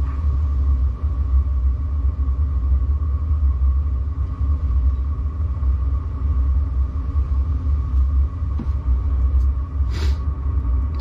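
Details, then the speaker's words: Newly fitted diesel heater in a Peugeot Partner micro camper, fuel pump running and up to temperature, heat coming out: constant low deep roar, level with no surging or popping; burning steadily and normal. "now I can hear the pumps kicked in it's allow the fuel through now it's reached temperature"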